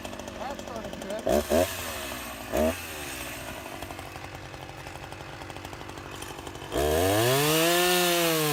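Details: Husqvarna 353 chainsaw after slight carburetor tuning: blips a few times, then pulls hard into the cut with revs rising and holding strong; healthy cutting.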